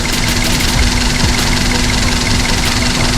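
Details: Daihatsu Sirion with the check engine light on, rough idle: uneven, lumpy beat broken by irregular stumbles, like a cylinder occasionally missing. ECM malfunction suspected, not detected by the scanner; wiring to be checked before replacing parts.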